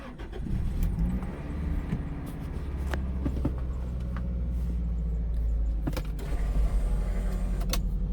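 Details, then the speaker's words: Toyota Celica heard from inside the cabin after replacing two of four motor mounts, including the destroyed passenger mount: a low, even hum with little vibration and a few light clicks. The engine noise that filled the cabin for years is gone. "Wait, that's night and day. I can't even hear it in the engine, oh, in the cabin."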